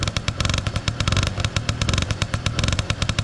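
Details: Honda Wallaroo two-stroke idling just after starting on the second kick with choke, after two weeks unused; fast, even popping over a steady low rumble, no knocks or misses; no cylinder leak seen.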